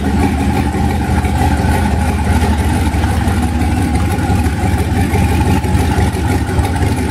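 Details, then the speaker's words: 1991 Mazda B2200 with rebuilt 6.0 LQ4 V8 swap, twin turbos, 80lb injectors, 2002 GM computer with 2-bar SD tune, first startup: loud uneven rumble, ragged beat, no clean idle; fresh engine running rough, still needs tuning. "still needs to be tuned but very exciting to hear the motor finally run after rebuilding the stupid thing"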